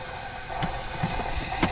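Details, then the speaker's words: Ford 6.0 Powerstroke crank/hot no-start (P2291), engine off, air check at about 120 psi through the ICP sensor port: steady airy hiss with brief puffs from the high-pressure oil system; suspected standpipe O-ring between the two halves, unconfirmed. "I'm going to go ahead and say it is a standpipe most likely the standpipe O-ring in the center between the two halves"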